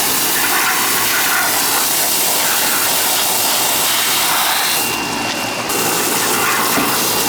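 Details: Older outdoor AC condenser with TXV on an August day: steady, even rush of fan air over a constant compressor hum, no rattles or cycling; condenser running normally.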